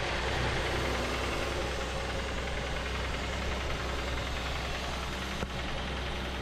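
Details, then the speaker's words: 1990 Chevrolet Cavalier Z24 after new fuel injectors and fresh oil and filter (old oil likely gas-diluted): even, steady idle with smooth low hum and no sharp knocking, quieter than before; normal idle. "I quieted it down a bit. Oh, that definitely helped the uh Oh, that sounds good."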